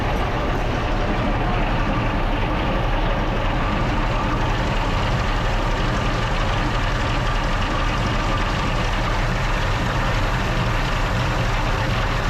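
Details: Original WWII Maybach HL230 Panther tank engine during a tune-up, before adjustment; dense, steady low roar with even fast idle, no misses or knocks; high idle speed, fixed by turning the main accelerator linkage one turn.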